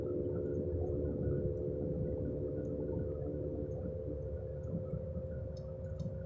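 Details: Car with a worn left-front wheel bearing makes a steady roaring, droning hum from underneath at 20–30 mph. The tires showed no irregular wear and the wheel passed the shake test; replacing the wheel hub assembly stopped the noise.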